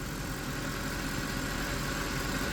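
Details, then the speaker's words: 2010 Mercedes E63 AMG, 6.2L M156 V8, cold start after sitting 30–40 minutes: knocks at first, then once oil pressure builds, smooth even idle with steady low hum, no rattle or tick; cam adjuster pin wear suspected for startup rattle. "quiet as a mouse, runs perfect."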